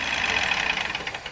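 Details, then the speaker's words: 2018 Ford EcoSport, 1.5 three-cylinder Dragon engine at idle: rapid light ticking from the top end at the intake camshaft; intake cam phaser solenoid clogged with dirt/sludge, blamed on wrong oil change. "e esse é o barulho pessoal está fazendo um barulho proveniente da parte de cima do motor aqui ó mais precisamente neste comando aqui comando de admissão"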